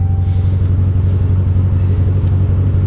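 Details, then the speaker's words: Salvage vehicle with about 200,000 miles, smelling of raw gas with warning lights flashing: deep, uneven thumping idle pulsing about three times a second with a wavering beat and a slight backfire; rough running, cause unknown. "well that didn't run well it even sounded like it backfired a little bit"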